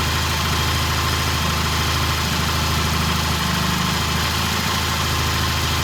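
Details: 1968 T100 vintage British twin with a new battery, after throttle cable slack adjustment: even, steady idle with a smooth low beat, no misses, knocks or hunting. Timing exactly on, mixture good. Normal idle.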